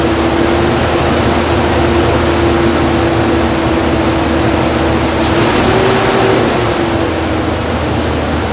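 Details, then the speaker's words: 2013 Nissan Frontier 4.0L with a newly installed heavy-duty fan clutch, at cold start: loud, steady rushing fan roar with a slight tone, expected for 20–30 seconds until the clutch fluid moves away from the center; afterward it quieted and was fixed. "Now, if I'm right about something and if this part is any good, it should be a little noisy for about 20 30 seconds and then it should be nice and quiet after the fluid in the clutch pulls away from the center."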